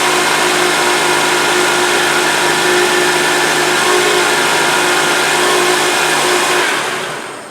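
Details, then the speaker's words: Honda (about 2002–2008) with engine running: loud steady buzzing whine from the power steering that worsens when the wheel is turned, caused by the pump drawing air; fixed by replacing a dealer O-ring. "okay okay so you can hear that buzzing noise hopefully you can hear it on the on the video but when you turn the wheel you can hear like that buzzing type noise"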